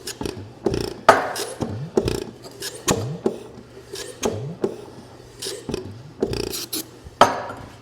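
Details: Homemade 'Frankenstein' engine strapped to a table, first run after pistons cleaned and rings refitted, started on ether: slow, uneven pops about every half second, weak and ragged with rasping between; it spins over well but has low compression.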